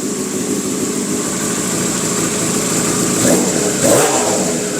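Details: Yamaha R6 being flipped, idling at about 2,000 rpm: smooth idle with two quick throttle blips that climb and fall cleanly, with no misfire or rattle; normal rev.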